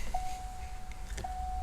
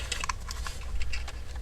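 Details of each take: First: Early Fox-body Ford with the preferred later-model chime module: two clean steady single-pitch chime tones, each about a second, over faint hum; chime working normally. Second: Early Fox-body Ford ('79) with later '89-style chime module swapped in place of the original buzzer: thin steady chime faint under handling clicks, much quieter than it should be; owner suspects the module is worn out rather than wiring.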